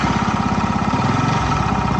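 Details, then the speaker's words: Crash-damaged Yamaha YZF R125 single-cylinder, just after a cold start, warming up: idle thuds along then sags and drops in pitch, nearly stalling; unstable low idle, may need adjustment. "struggling struggling struggling will it [Laughter] recover okay we might need to fix the idle a little bit"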